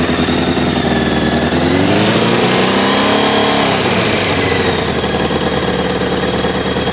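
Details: Honda CBR600F2 inline-four idling then revving up and down with a fast, uneven rattling knock riding over it; cam chain tensioner ruled out, source unclear.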